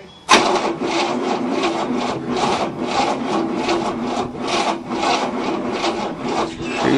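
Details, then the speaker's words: 1967 Cadillac, not started in 30 years, second battery, plenty of spark, timing possibly advanced: slow labored cranking at about two strokes a second that never catches, jumper cables and battery smoking, starter removed; slow cranking, no start. "oh yeah plenty of spark it's just not cranking fast enough to start"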